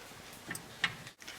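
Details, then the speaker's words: BMW E46 3-Series front wheel hub shaken side to side by hand: three sharp light clunks at each change of direction, play at the inner ball joint indicating a worn inner tie rod. "so you can see that this one has play and you can hear the noise of the inner tie rod that has gone"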